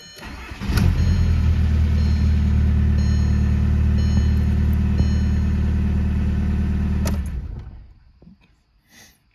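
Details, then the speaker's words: VW TDI diesel after installing an electric lift pump: brief crank then a quick catch into a steady, even idle with no misses or knocks; it seems to start quicker than before the lift pump. "to start pretty quick starting this idling sounds good do the start one more time"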